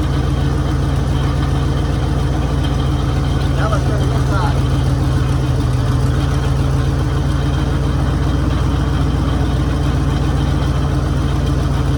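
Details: 1966 Mercury Monterey big-block V8 after fixing a fuel leak, water pump leaking: deep, steady low rumble with an even beat, no knocks or misses; idling smoothly and healthy.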